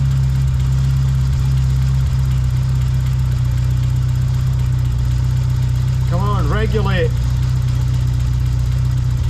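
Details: A-reg Vauxhall Nova 1.6 injection idling evenly with a low, steady hum, no hunting or stumbling, right after a new fuel pressure regulator was fitted; fuel pressure now a consistent 3.3 bar (old regulator gave up to 5 bar). Normal idle.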